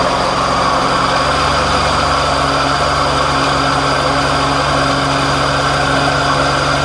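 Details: 2007 Ford Escape 2.3L four-cylinder at idle: constant rough grinding rasp from the AC compressor at the lower front right of the engine, found bad with a stethoscope; compressor replaced.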